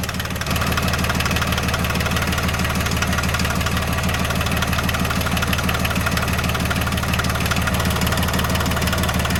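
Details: John Deere 750 tractor diesel after water pump replacement and refilling with 50-50 antifreeze, running to check for leaks; even idle clatter at about three firing pulses a second, no misses or odd knocks. Normal idle.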